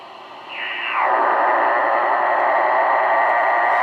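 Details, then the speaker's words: Switch-mode (SMPS) battery charger in regular charge mode, heard on AM and SSB radio receivers: radio hiss jumps to a loud, steady rushing hash with a fixed tone, which goes away when the charger is unplugged. RF interference from the charger. "even in the charge mode here this thing is still generating a lot of hash I'll unplug it now and it goes away"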